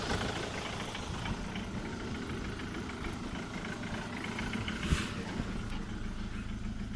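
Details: Jaguar X-Type 2.0 diesel idles with a busy, uneven knocking rattle from the driver's side of the engine; cause unknown.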